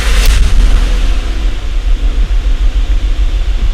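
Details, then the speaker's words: 2008 Honda Odyssey V6 starting after replacing the ignition coil for a P0303 cylinder 3 misfire and clearing codes: catches and settles into a deep steady idle with no skipping or stumble. "it's running pretty good guys so that was how to resolve called 303 which is p0 303 its cylinder number 3 misfiring"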